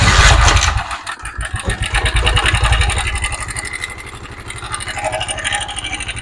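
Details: Honda motorcycle engine idling with a busy metallic clatter over the beat; a loose timing chain rattling from a weak tensioner, which a new spring is said to eliminate.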